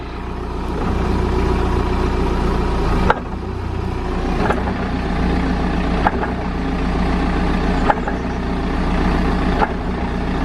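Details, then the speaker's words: BMW E65 on a lift, engine running: six sharp metal-on-metal clunks from the rear end about every 1.5–2 seconds, mimicking the single clunk felt when getting on then off the accelerator; exaggerated by repeated clutch releases. "you would hear this clunk it'd sort of be like i guess it would kind of sound like metal on metal contact from the rear end"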